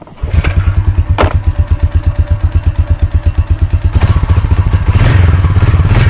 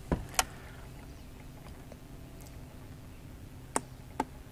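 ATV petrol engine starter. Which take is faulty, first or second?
second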